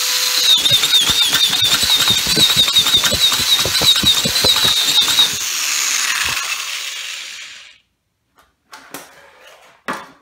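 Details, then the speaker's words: Yard Machine Y2510 string trimmer with broken pull-start, spun by drill on trimmer head, throttle tapped: high drill whine with even ticks near four per second, then stops; cranks but won't catch, needed priming. "so you takes a few tries to start it up earlier i guess because it's filming it's a little harder to manage"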